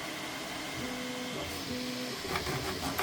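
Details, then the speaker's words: Bambu Lab A1 Combo 3D printer with four-spool PLA feed cleaning its print head at startup: quick stepper whirs and short scraping bursts as the head shuffles and wipes, with light clicks toward the end. Normal filament purge and nozzle wipe. "Cleaning the print head. My old printer didn't clean the print head, it just made a mess. You see it's done a little poop there as well."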